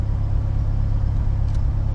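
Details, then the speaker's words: Supercharged Honda K20 with a K24 crank pulley at idle near 1000 rpm, coolant 188°F, IAT 123°F: a steady, even low rumble with no knocks or misses; the earlier belt whistle has gone, a healthy idle. "the belt noise it fixed itself so I had the car still running in the background because I wanted to charge the battery a little bit"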